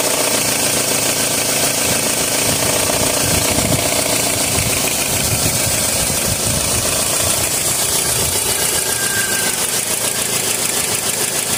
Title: @ 2003 Toyota RAV4 hissing and rattling noise